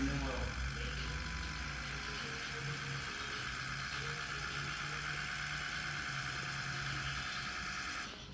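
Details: Freshly rebuilt diesel engine after first fire-up, high pressure oil holding about 88 psi, idling at full operating temperature before shutdown: steady, even idle clatter with faint high whistle, no knocking; sounds good, normal idle.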